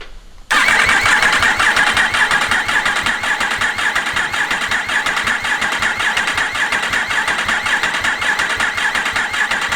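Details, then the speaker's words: Yamaha R1 race-bike rebuild, fresh engine with no fuel tank or upper injectors, in neutral: a steady, fast whirring crank with even chuffing at about two beats a second and no firing, spun on the starter to build oil pressure. "uh and then while I've got no fuel tank on it crank it over to try and get oil pressure up and make sure your light goes out of the dash"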